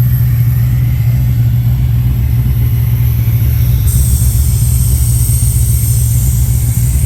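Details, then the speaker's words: L98 V8 at first fire-up after throttle body fit and ECU load: deep, even rumble holding a firm rev with no misfire or popping, after a big backfire at start; running healthy, oil pressure reading questioned. "so big back firing anyway it runs guys I'm pretty happy"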